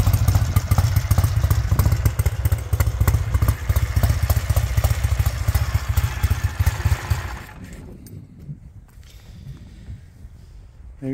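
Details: 1968 Triumph T100 Daytona twin, still a bit cold, warming up. A steady, even beat of about four pulses a second with crisp revs, then the engine is switched off; it runs healthy.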